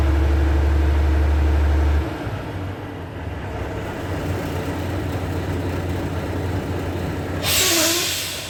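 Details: Volvo truck after air dryer leak repair, started up at idle: steady diesel idle with compressor charging and a sharp hiss of air purging near the end; pressure building normally toward green.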